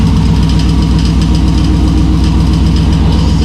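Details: Bronco II rock crawler newly swapped from a 350 to a 2005 5.3 LS V8 with a Turbo 350 trans, first start with exhaust and O2: deep, steady rumble with even firing and no knocks or misses; normal idle.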